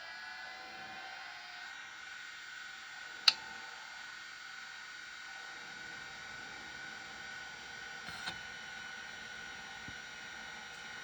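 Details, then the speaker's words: Vintage 1980s Miniscribe 6085 5.25-inch hard drive at first power-up: a steady high spindle whine with a couple of sharp seek clicks. The drive spins up and seeks normally. "Okay, I think that's what it should do, and it sounds really nice. So that's a really good sign, yes."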